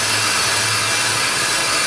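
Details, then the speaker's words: Car-mounted EBC Pro-cut on-car lathe turning a slotted brake disc to cure runout and brake vibration: steady hissing cut with parallel tips highlighting low spots and irregularities on the uneven disc, contact getting lighter in places, as the final finish cut starts. "because the tips are operating perfectly parallel it will highlight any low spots on the disc any irregularities at all you can hear and see now it's getting a lot lighter not not even touching here"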